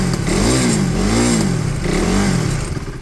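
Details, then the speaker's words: KTM motorcycle refitted with its original exhaust in place of an aftermarket side can. Crisp blips rise and fall smoothly with no hiss or puffing between revs, so the exhaust sounds sealed. Normal revving. "But yeah, we're good, it's back. Again, it just drove so much nicer. Sounds great."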